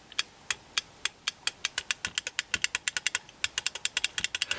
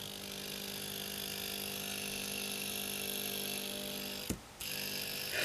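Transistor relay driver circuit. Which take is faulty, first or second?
second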